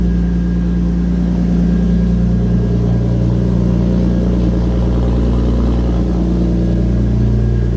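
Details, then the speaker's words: BMW E46 330 drift car, M54B30 inline-six, after rerouting at the MAF, before performance tune: steady, even low hum with no stumbles, firing smoothly on all cylinders; earlier misfire solved. "Well, I do believe that the misfire has been solved. Now we can tune the car."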